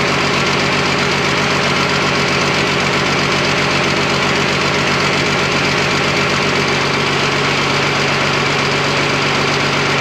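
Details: Freshly rebuilt twin-turbo Fummins diesel on first start, injection pump timing just set, no coolant: steady, clattery idle with an even beat holding rhythm, no misses or knocks; sounds super healthy.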